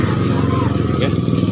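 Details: Vespa Piaggio Zip 100cc scooter test run after fixing sudden stalling caused by a faulty ignition key switch connection; engine runs steady and even with a quick regular beat, no misses or cutting out; normal running.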